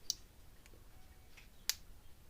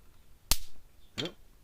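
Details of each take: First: Gallagher S20/S50 electric fence energizer after a transformer replacement, now putting out about 9,000–10,000 V: sharp single clicks about every 1.5 seconds, evenly spaced, pulsing normally at full output. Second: Gallagher S20/S50 electric fencer module circuit board, two capacitors wired in parallel being shorted out: two sharp snapping pops about 0.7 seconds apart in a quiet room as stored charge discharges.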